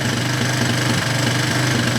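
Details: Single-cylinder with a melted spark plug wire, after nearly dying and left running to dry out: idles with a lumpy, uneven beat that is settling and smoothing out; still rough, likely wet or fouled.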